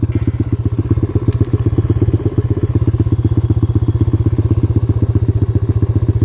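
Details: X-PRO single-cylinder dirt bike on trail: loping, uneven thump about four beats a second with clattering; rough running, possibly carburetor flooding; owner suspects the carburetor.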